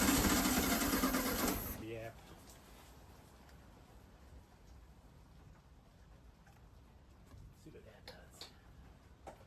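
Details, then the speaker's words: 1969 VW Beetle sitting 33 years: two seconds of fast even cranking that never catches; spark at points unverified, owner decides carburetor needs cleaning. "All right, I'm going to say we need to clean the carburetor."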